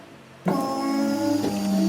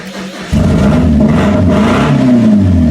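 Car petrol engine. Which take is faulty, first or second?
second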